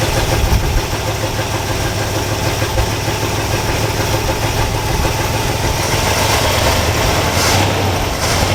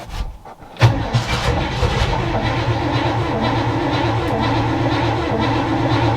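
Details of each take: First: All-original 1962 Chevrolet C20 3/4-ton pickup, automatic, sat over 60 years, running on choke after replacing fuel pump (suspected failed diaphragm): steady, slightly loping idle with low even thrum, running on its own. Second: 1962 all-original Chevy C20 3/4-ton pickup, automatic, after long storage: brief crank and silence, then the engine catches and settles into a rough, uneven run on full choke.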